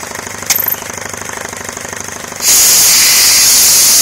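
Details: Homemade belt-driven compressor on 240 V switch, starting up after belt fix and redone intake with small filter, said to spin about 1070 rpm: quick, even pumping chatter roughly 220 beats a minute, then loud rush of air; running properly.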